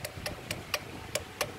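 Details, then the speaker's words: Porsche 968 relay chattering with sharp, irregular clicks about four a second, from the bonnet light wiring loom shorting intermittently where it folds near the hood catch. "my relay clicking and it's right in here so now what I've got to do is strip this installation back check out the wires find out which ones are broken"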